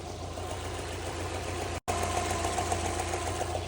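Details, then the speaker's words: Subaru 2.0 petrol engine running with a regular light knock, about three to four per second, traced to the fourth cylinder on the starter side. It occurs only when hot and persists after a new timing belt kit and idler; the cause is unknown. "Вот с четвёртого цилиндра от стартера."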